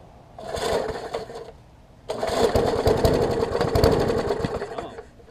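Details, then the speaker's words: Murray 20-inch 3.75 hp push mower, long dormant with stuck-open intake valve freed, new carb diaphragm, primed, tank cleaned: two recoil pulls, quick whirring compression strokes that die without catching; cranks but won't start, owner suspects wet or fouled spark plug. "the plug's got a lot of water on it or it might be fouled i'm going to try a couple more times and then we're going to switch the plug out if it doesn't work"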